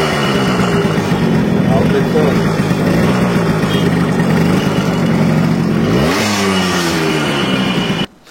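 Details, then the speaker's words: Yamaha RX100 two-stroke before restoration: rough uneven running, then rising rev near end; condition very bad, engine then fully rebuilt (rings, piston, connecting rod) — worn engine. "তো বন্ধুরা, বাইকের সাউন্ডটা শুনলেন, sound শুনে বুঝতে পারতেছেন বাইকের কন্ডিশন খুবই খারাপ। ইঞ্জিনের কাজ করতে হবে,"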